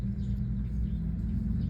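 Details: Rear differential: steady low growl with a constant drone, worn ring and pinion (crown) gears; the gear teeth have started to wear, and a new ring gear is to be bought.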